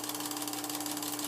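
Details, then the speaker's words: Vintage Kodascope Eight 90 8mm movie projector from the 1950s, switched on: loud steady fan roar with constant motor hum and fast even flutter from the film mechanism; running normally. "you have to hear this thing it again it brought back crazy memories when I turn this on"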